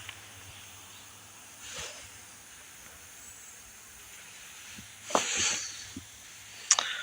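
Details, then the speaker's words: 1970s 20 kW propane generator that fires and dies immediately, governor solenoid valve switched on: sharp airy hissing spurts of escaping gas from a leaking fuel pipe, which needs replacing; owner unsure this is the whole problem. "Yeah, we definitely got a leak there. Oh yeah, that's a leak."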